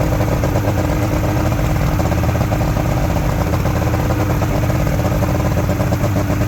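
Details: Junkyard Ebb Tide bass boat two-stroke outboard, run on a water hose after sitting: a steady, even burble at fast idle with no misses or knocks. It is idling normally and running cleanly.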